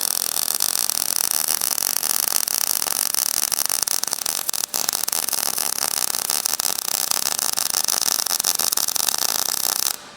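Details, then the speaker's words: MIG welding with wire speed raised after a slow, spitting run: dense, even buzzing crackle like frying bacon, the sound of a properly fed arc versus the earlier softer sound. "Should sound quite buzzy, [music] crackly as opposed to that softer sound."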